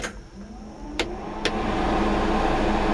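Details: 1949 Ford F-1 on a chilly morning, before the engine is fully on: a couple of switch clicks, then the air conditioning blower spins up into a steady even whoosh with a low hum; working normally.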